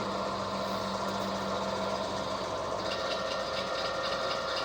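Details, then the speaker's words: Vintage HPA wheel balancer, probably Danish, early 1960s, running with about 75 g weight added. Steady low hum with a constant rattling shake through the frame; whole machine shaking. Out-of-balance vibration. "Yeah, it really doesn't like that. It's really out of balance."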